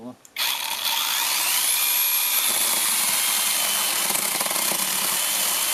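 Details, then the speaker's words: Fake Makita DUC302Z brushless cordless chainsaw, repaired for cutting out and stalling in wood, tested reassembled on one battery: motor spins up sharply and holds a steady high cutting whine through wood without bogging, normal cutting. "Все працює, навіть на одному акумуляторі, тому тест пройдений."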